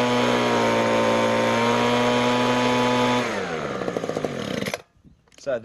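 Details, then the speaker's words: Ryobi RBV26G 26 cc two-stroke leaf blower, carburetor ultrasonically cleaned, spark plug gap 0.8 mm, during high-speed mixture screw adjustment: steady high even full-throttle scream then smooth wind-down; mixture set about as good as it gets. "that is about as good as that will ever get. So you could hear the change in tone as it's trying to adjust the mixture."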